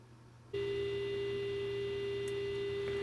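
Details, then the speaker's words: Tube AM receiver (12SA7 converter) during IF alignment with a 100-microvolt signal, set to maximum gain just short of oscillation. A clean, steady tone with no squeal or howl; aligned IF stage with no oscillation. "that's going to be maximum gain with no oscillation so we're right at The Verge here"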